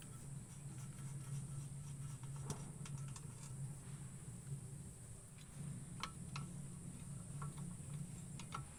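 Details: Loose brake caliper guide pin rattling in its bore, caliper removed and pins shaken: light metallic ticks and clinks over low hum; temporary fix is Teflon tape and grease on pin.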